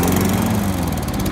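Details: 2005 Toro Personal Pace recycler mower with Tecumseh engine, found curbside, running: short burst of steady, even single-cylinder putter at constant speed with no stumbling or surging. Normal running.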